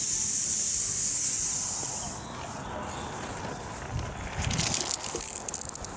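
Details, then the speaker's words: Rain Bird sprinkler system at spring start-up: a loud, steady hiss of air escaping a buried sprinkler head as the lines fill and pressurize. This is normal. "you can hear a hissing right here so there's a sprinkler head down there that's the air getting out"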